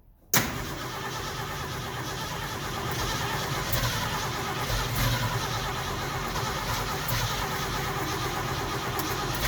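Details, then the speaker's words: 1969 Ford F100 after carburetor rebuild, retried with check ball removed; cranks, catches and runs steady but lean-sounding; float bowl not filling. "Something's wrong. The float or the bowl was not even filling up, so something's wrong."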